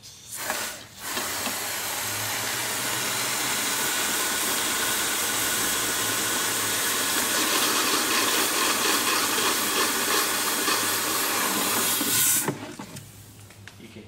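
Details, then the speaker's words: Cooling system flush, before filling with new antifreeze and distilled water: a steady hard hiss of compressed air with a faint gurgle as the reservoir is blown empty of tap water. "first i'm going to completely drain that reservoir again using some compressed air we just want to get as much of the tap water out of there as we"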